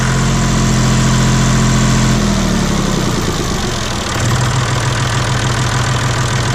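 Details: John Deere 5205 tractor diesel just after replacing the Stanadyne DB4 injection pump, coolant not yet refilled: steady even idle with a smooth low clatter, dips briefly and settles back; sounds good with no leaks seen.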